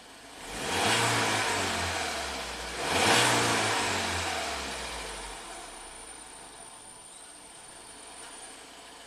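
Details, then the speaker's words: Ford EcoBoost van with an intermittent P0106 MAP performance code, restarted right after stalling in the garage: it catches with a flare, dips, flares again and sags toward idle, stumbling. Low fuel pressure, the GDI pump or cam VVT are suspected, not confirmed. "kind of stumbled a little bit so I'm going to slowly raise the RPMs see what happens like will it even run will the pressure stay low"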